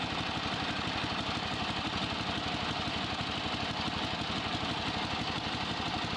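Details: Yardman (MTD) ride-on mower single-cylinder engine after grounding-switch wire disconnected during wiring cleanup, charging circuit restored: even putter about two beats a second, steady pitch, no misses; running healthy.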